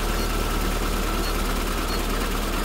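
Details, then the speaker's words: SPI Mini with a cooling-system fault, throttle untouched, on its warm-up cycle at about 1200 rpm. A steady, even drone at a raised idle with no knocks or misses. Normal cold-start fast idle. "we're not touching the throttle so it's still under 1vt yeah it's under warmup cycle right now so it's about 12200"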